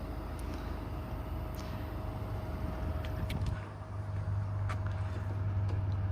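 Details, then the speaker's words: OutEquip Summit 2 12-volt 10,000 BTU rooftop air conditioner, newly installed in 2000 Chevy Express 3500 van, at full speed on coldest setting putting out 51°F air: low even hum, no knocks or rattles, quiet enough to talk normally; normal running. "As you can hear, we're talking normal level, and it's so quiet you can hear me perfectly."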